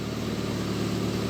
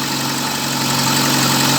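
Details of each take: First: VAZ 2111 with misfiring engine after replacing the camshaft position sensor: short low, even idle with steady beat and no obvious stumble; stable idle, though check engine light later returns with slight instability. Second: VAZ 2111 idling with check-engine light on, diagnostics showing a camshaft position sensor fault: steady idle with a shaky, uneven undertone; rough running attributed to the faulty cam sensor, sensor to be replaced.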